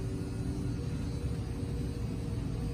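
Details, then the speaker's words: 2018 Cardinal 3825FL: the sofa slide-out motor gives a low, steady, unwavering drone as the slide extends, with nothing binding; normal operation. "just kind of here someone comes from the motors and that's it"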